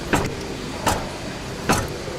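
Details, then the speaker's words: Toyota Land Cruiser 150 with engine off, steering wheel swung with large amplitude: three sharp single knocks from the steering rack about a second apart; checked on several vehicles and judged within normal limits. "вот так что это нормально то есть я проверял на праздниках вот тут вот нескольких это пределах нормы и не беспокойтесь за эти штуки"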